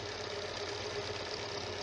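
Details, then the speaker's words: Janome sewing machine after tightening a loose, noisy part and oiling the moving points: light, even whir with a soft steady tone and no heavy thumping or grinding; runs smoothly after repair. "बिल्कुल हल्की फुल्की आवाज़ इसकी अपनी जो machine की होती है, हर लिहाज से बिल्कुल फिट हो गई है।"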